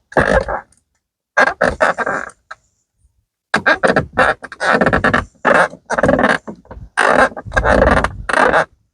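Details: 2015-2019 Ford F-150/Super Duty truck door: loud groaning creaks and moans with each swing from worn hinge parts; lithium grease, WD40 and wheel bearing grease didn't help, so the hinge parts need replacing.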